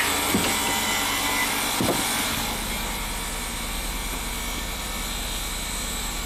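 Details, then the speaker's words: 2006 Ford Escape at idle after code clear, alternator charging 14.3 V at 8 A: harsh hissy scraping and thin high whine over the engine as the alternator pulley rubs its own case, possibly separated alternator case. "this is unbelievable the pulley is basically rubbing the case of the alternator that's ridiculous"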